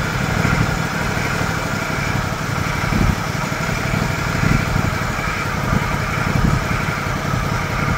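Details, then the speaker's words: John Deere LX178 mower engine with new replacement carburetor, idle speed adjusted down: low even single-cylinder putter at idle, no misses or surging, very smooth; normal idle. "wow that's an impressive engine"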